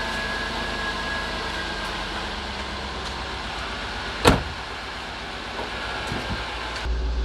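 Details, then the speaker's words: Jaguar XJR after alternator replacement and connector repair, late-night start: steady, even idle with a smooth low hum and no whine (previously whining, burning smell, no charging); now 14.22 V charging; normal idle. "yeah we got 14.22 volts so system is charging so thank god we fixed it no more voltage shoes so pretty good pretty happy we're good to go"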